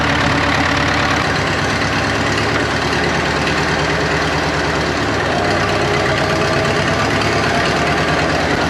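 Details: 1939 Caterpillar D4 (Cat D4400 diesel) after final assembly, restarted and bled; idles loud and uneven with a lumpy, irregular beat. Source unknown; too-low fuel pressure suspected, injectors later spray equal cones. Rough running, cause not confirmed.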